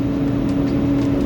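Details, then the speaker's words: 2009 Ford 6.4 Powerstroke diesel, fan clutch commanded fully on with a scan tool at about 1200 rpm and rising: loud, steady rushing roar with a drone beneath; this is the sound it made while driving before fan clutch replacement. "all right fans on all the way that's what it was sounding like when we were driving prior to us replacing this fan"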